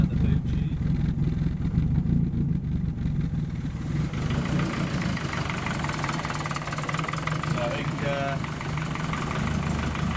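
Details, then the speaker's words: Compound twin-turbo project car after the split wastegate pipe was fixed with a welded-in braided flexi section and everything refitted, first start. Steady, even low idle rumble with no puffing from the pipework; runs well, only a small exhaust blow at the side exit. "Right, there you go. All back up and running like a champ."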